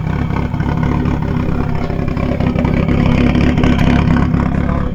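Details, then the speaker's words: Nissan Silvia S13, first start after years sitting: lumpy, uneven idle with loud low rumble and irregular beat; suspected water entering a cylinder from the head gasket, not confirmed. "Getting a bit of water into the cylinder from that head gasket, Yeah, no. I'd say."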